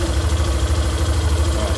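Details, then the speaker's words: Yamaha Fazer 150 motorcycle, idling and revving: steady electrical hum/buzz above the exhaust beat, traced to the stator's magnetic field, not a mechanical fault or bearing; clutch was also found burnt. "se tiver algum barulho com zumbido alguma coisa assim pessoal não é nenhum problema na parte mecânica pessoal é aqui ó estatura é o campo magnético aqui que faz esse barulho"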